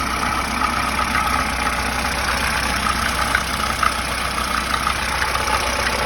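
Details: VAZ 2107 engine idling with a light, persistent knock ticking over the steady idle; source of the knock not yet known.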